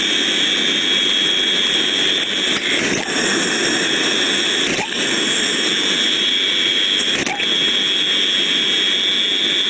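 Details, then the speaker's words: Airborne ultrasound recording of a disc steam trap: a constant turbulent rushing hiss broken by sharp opening and closing bursts every two seconds or so. The trap still moves condensate but cycles too often and is losing efficiency. "so we can see very clearly lots more turbulent flows so we can see more the opening and closing more and more each time so this is telling me that the trap is working it's now losing its efficiency"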